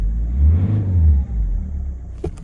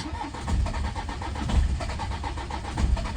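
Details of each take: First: Citroen C5 diesel, cold, with EGR blanked off and some petrol still in the fuel: after its best start yet it's revved to clear, giving a deep, clean rev that rises and settles smoothly with no miss or knock. Owner suspects an injector is still down. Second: Citroen C5 diesel, after repeated glow-plug cycles and a jump pack: long crank with uneven coughs and weak catches that never pick up, blamed on petrol contaminating the diesel.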